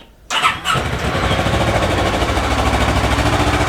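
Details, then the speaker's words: Kawasaki Ninja 650 revived after being abandoned, with the tank cleaned: quick crank, then it catches first try and settles into a steady, even idle with no misses or knocks; starting and idle are healthy. "Yeah, it's pretty good. So that's good."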